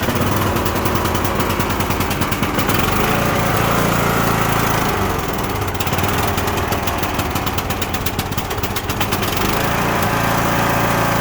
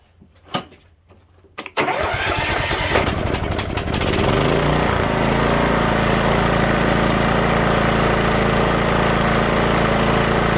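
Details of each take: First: Cub Cadet LTX1045 riding mower, Kohler Courage 20HP, dies off choke a month after head gasket and valve work: lumpy stumbling run with pops and crackles through the exhaust; bad orange fuel with water in the bowl, not valves. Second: Cub Cadet LTX1045 riding mower, Kohler Courage 20HP, with fresh fuel added after dying off choke (head gasket and valve work done earlier): a couple of pulls, then it catches and runs steadily with no misses or surging.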